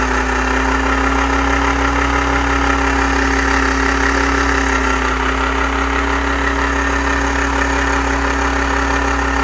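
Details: VW AP 1.8 engine at idle: loud low hum with a faint, regular tapping about three times a second on top. Unidentified engine noise, source unclear.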